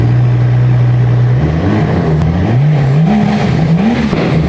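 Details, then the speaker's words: Rolls-Royce Wraith Mansory edition (crash-damaged, being rebuilt) running straight-piped with the exhaust removed: loud, raw, deep idle jumping into sharp unmuffled revs, though not as loud as expected. "let's see what a straight pipe rolls Roy sounds like cuz this could be quite funny just doing the ghost I don't know how loud this is going to be oh it's not it's not that loud sounds good"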